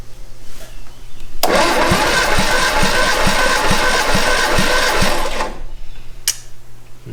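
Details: 1962 Austin Healey Sprite MkII engine after 10+ years in storage, compression test cylinder 2 (125 psi): starter spins briskly with even compression pulses about four per second, then stops. Normal compression cranking.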